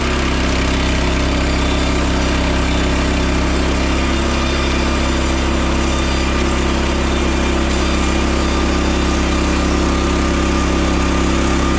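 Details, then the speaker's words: Frontier OS27 sawmill on its first cut with a newly swapped 15HP Harbor Freight Predator engine, replacing the 13HP Briggs & Stratton. Steady, even drone holds pitch through the cut with no misses, knocks or surging; pulls cleanly and runs better. "There it is. That's the engine swap. Use the Predator engine. It runs a lot better and a lot easier to start."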